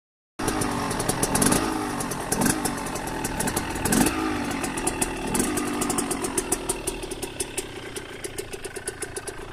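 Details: KTM 125 SX two-stroke on its first start after a rebuild. It crackles into life, is blipped a few times with sharp revs, then settles into a rapid popping idle; sounds healthy.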